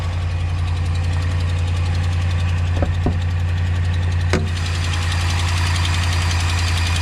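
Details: Ram just bought and shipped in: steady low idle with a dull, unevenly timed knock about three or four a second; the owner asks what the noise is, cause unknown.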